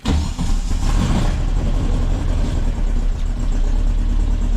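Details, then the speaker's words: 1961 VW Beetle air-cooled flat-four with electric fuel pump, regulator set to 3 psi and Bosch coil, just after starting: steady, even low chuffing idle with no misses, knocks or hunting, alternator showing 14 volts; runs well. "but generally speaking um this motor runs really well and the fuel uh system is up here"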